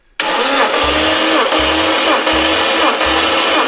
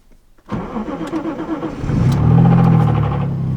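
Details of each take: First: Lexus IS200 engine compression test during engine swap, plugs out, throttle body held open, dry without oil; even steady cranking, about nine strong regular compressions in seven seconds, good compression. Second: Lexus IS200 engine just swapped in, first start; short crank, it catches and revs, then settles with a light, quick knock tapping under the idle; rod knock, engine considered dead.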